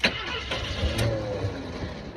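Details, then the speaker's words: 1982 Jeep Wagoneer Laredo, carbureted, not started in a while, cold start: starter cranks briefly but the engine never catches after first prime; needs priming again without adding too much and choking it; crank no-start. "I got to prime it more. Yeah, just prime it again. Let's see if we can start it in the video without cutting it. Sometimes in these older cars, carburetor, so it takes a little bit longer."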